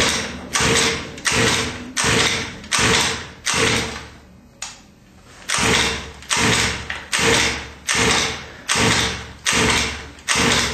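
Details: 29cc engine with head kit: about a dozen steady recoil pulls, each a rising whirr, never firing; cranks but won't start.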